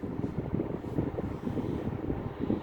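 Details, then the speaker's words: Vintage Hayden desk fan running: low, fluttery motor rumble with uneven rattling texture; bearings heard rattling, suspected loose or worn, not confirmed. "Yeah, I can hear the bearings rattling."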